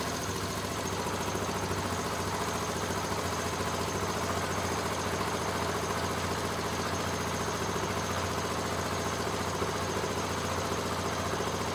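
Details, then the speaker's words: Mostly stock big single motorcycle on its stock exhaust, kept on a battery tender: steady, even idle thump with no knocks or misses; runs smooth and healthy. "It's still on the stock exhaust, so it doesn't sound real mean, but that bike is terrifying."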